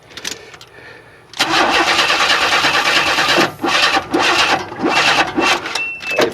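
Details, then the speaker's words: 1994 Chevy Astro van after an engine replacement, fuel pump bypassed with about 65 psi fuel pressure: fast cranking with uneven pops and sputters that never catch; cranks but won't start, ignition timing way off. "trying to start but the timing is off way off so how do I set the timing"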